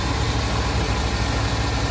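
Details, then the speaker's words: Chevy C30 square body Mason dump V8, inoperable Copart truck after an under-hood fire, warmed up, despite a worrying compression test: steady, even idle with no misses, knocks or ticks; it purrs. "Super happy with the way this sucker purrs, especially after my concern with the compression test earlier on, and just all the unknowns of buying something that's Inop. Gosh, she purrs."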